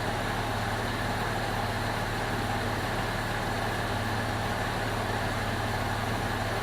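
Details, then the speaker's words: 2002 Jeep Liberty 3.7 swapped engine at warm idle, temp normal: even, steady smooth low rumble with no knocks, misses or ticks; healthy, though check engine light on (hard start or coil pack suspected) and smoke from oil-covered exhaust. "I'll put the scanner on it. But seems to be running pretty smooth."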